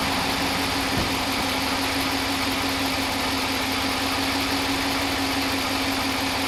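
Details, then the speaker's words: Stock 5.7L Hemi V8 in a 2015 Ram 1500, warm idle: even idle with light, fast, uniform fuel-injector ticking over steady hum, a normal operating sound, no lifter failure; healthy engine. "hopefully you can hear the normal sound of the fuel injectors ticking that's the one that is that's that's what they're doing it's not a big deal that's a normal sound of operation"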